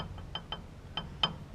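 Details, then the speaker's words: Sharp, irregular metallic knocking as a worn outer tie rod end on a 2WD Ford Ranger is rocked by hand during front suspension teardown; the same knock the owner heard earlier, part still has a little life left. "I can move it by hand now and it's you can hear that knocking which is what I was hearing um earlier"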